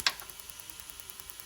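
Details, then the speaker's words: Mazda MX5 NC with an LS1 V8 swap, ECU ignition test firing cylinder number two during misfire diagnosis; sharp, even snapping ticks about ten a second; the plug is poor and keeps arcing to the body. "you can just kind of see it firing and say actually that the plug isn't that great and keeps trying to fire off the body"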